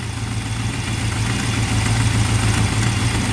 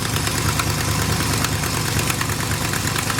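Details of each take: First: Big-block squarebody truck after topping up transmission fluid and adjusting the carburetor, heard at the tailpipes: deep steady V8 idle, no miss detected, maybe slightly fluttery; normal idle. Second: Old big-block Chevy squarebody truck, neglected with possibly dragging front brakes, idling: loose ticking puff about three a second over the rumble; exhaust leak visibly coming out; exhaust manifold leak.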